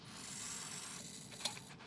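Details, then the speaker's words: Subaru EJ25 engine (WRX/STI) during rebuild, clutch fork pushed to seat the throwout bearing: a brief scrape then a single sharp click as the bearing locks into the pressure plate; correct engagement. "clicking the throwout bearing into the actual pressure plate if you hear that noise you're home free you can continue on"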